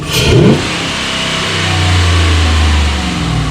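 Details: Ram 1500 5.7L Hemi just after installing a K&N air intake system. A sharp throttle blip drops back to a steady, deep, even idle with a louder intake note; normal revving.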